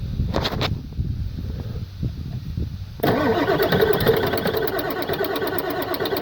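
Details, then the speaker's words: 1996 Ford F-250 7.3 Powerstroke, about 50°F, glow plugs not working: long uneven cranking, catches around three seconds and clatters roughly; hard cold start. "about 50 degrees out and this chick this thing does not start anything below about 60 little plugs don't work"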